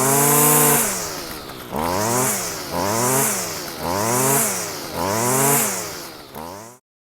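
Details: Stihl FS55 two-stroke line trimmer after replacing the flex shaft liner and greasing the shaft to cure vibration on acceleration: crisp buzz rising and falling with throttle blips, even with no shake or rattle; normal running.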